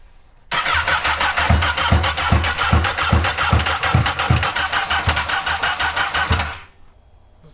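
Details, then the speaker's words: Honda N600 with newly swapped 2014 CBR1000RR engine: steady starter churn about two and a half pulses a second for six seconds, never fires; injectors possibly dirty or stuck from sitting, or a sensor, suspected not confirmed. "It's trying. You know, this thing could have sat so long that the injectors have trash in them."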